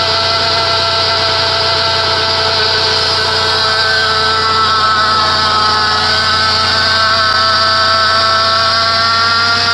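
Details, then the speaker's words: 2006 Chrysler Pacifica 3.5L at idle, recorded at the serpentine belt area: loud steady squeal with gritty grinding edge, like a bad bearing in a belt-driven component, not belt squeal; seller blamed power steering pump; failing idler pulley bearing. "it's not so much a serpentine belt squealing sound but it's almost like something hooked to the belt has a bad bearing in it"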